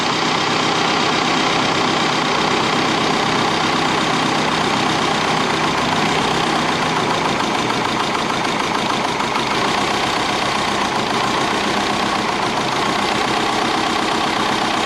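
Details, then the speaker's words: Twin-turbo Subaru Forester at idle: loud, uneven stumbling idle with missed firings as a loose fuel injector connector cuts in and out when touched; rough idle from intermittent injector connection. "all right so i just made another discovery that this injector is not that good with some of the wiring so when i touch this connector it was going on and off so i need to check that out"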